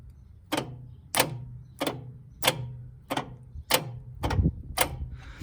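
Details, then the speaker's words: Sykes GP80 water pump with Lister TR1 diesel engine, key turned to start: single sharp clicks about every half second to second with no cranking; starter solenoid pulls in but the starter motor never turns. "well that sounds like the solenoid on the starter but nothing else"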